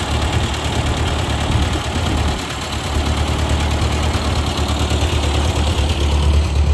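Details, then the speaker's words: 1956 Ford 640 tractor at first start in years, after draining the tank and freeing a stuck carburetor float: low, steady rumble with an even beat, no knocks or misses; running normally, though black smoke and the oil pressure gauge was not reading. "okay guys it ran pretty good this gauge on the oil pressure is not reading so that's why I shut it down I'm not sure if it's the gauge broken but I don't want to risk it but overall it sounded like it was running pretty good"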